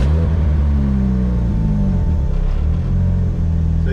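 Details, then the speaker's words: 1933 Ford rat rod with supercharged LSJ engine, just after a Holley 12-170 400lph fuel pump and filter install; fuel pressure showing 43 while priming. Fires right up into a deep, steady, even rumble without stumbles or knocks: normal running. "you can see we got fuel pressure there engine fires right up so yeah the engine fires right up hers like a kid"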